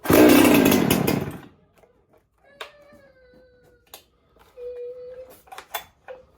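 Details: John Red 670 chainsaw with newly fitted compression release, easier starting: fires and revs hard with crisp, clean howl for about a second before dropping off; starts and runs healthy.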